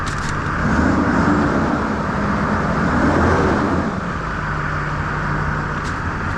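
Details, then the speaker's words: 2004 Duramax diesel reassembled after another shop tore it apart, running with water-in-fuel light on from ripped filter wires: even, steady idle, smooth low rumble, no ticking or knocking; normal idle. "all right sounds really good"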